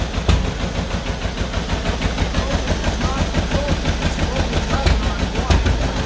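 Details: 1949 John Deere B two-cylinder tractor on its first start after an engine rebuild: slow, uneven putt with irregular heavy pops and skipped beats, misfiring and struggling to keep running; fuel starvation is suspected because it sits on a slant.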